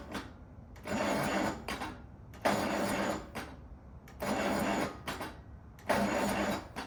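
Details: 1950s Allis Chalmers CA tractor, engine freed after sitting 20+ years and reassembled, cranked in neutral with clutch in: four short cranking bursts, never catches; battery possibly weak; no spark found, new coil fitted next.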